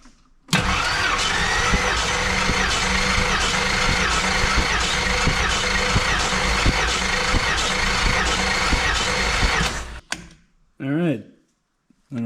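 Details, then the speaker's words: Compression test on a 1973 AMC Hornet, cylinder 5: even starter cranking for about nine seconds at a steady beat of roughly three per second, with no lazy strokes. Gauge reads about 145–150, which looks healthy. "just shy of 150 looks like probably 145 ish maybe 150 looks pretty good to me"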